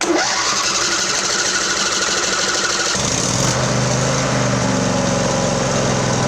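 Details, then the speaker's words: Craftsman LT1000 riding mower, 20 hp, after carburetor and fuel solenoid repair, new plugs, carb primed, no choke: cranks about three seconds, then catches and settles into a steady, even run with no misfire; engine running properly. "let's see what happens ready go oh oh she fired"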